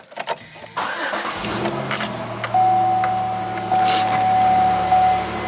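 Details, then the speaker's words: Pontiac Grand Am GT with SC/T appearance package on a cold start; it catches after a brief crank, then a steady high squeak rides over the idle, like the owner's red one; cause not identified. "A little bit of squeak to it, just like the red one does."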